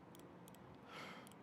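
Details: 1999 Gen 1 Suzuki Hayabusa fuel injector, cleaned with new seals, bench-pulsed outdoors from a 9-volt battery through a switch: faint, sharp clicks in short bursts as it opens and closes normally.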